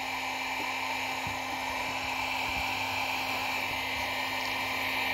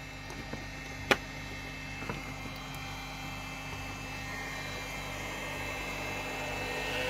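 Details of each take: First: Cheap Chinese battery charger's small cooling fan after being cleaned and lubricated: it spins with a soft, even hiss and faint steady tone, no rattle or squeal, no longer squealing; runs smooth and quiet. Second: Cooling fan in a Chinese battery charger before lubrication: steady rushing roar with a thin whistle swelling louder over several seconds. Dry, dusty fan bearing; oiling the fan stopped the squeal.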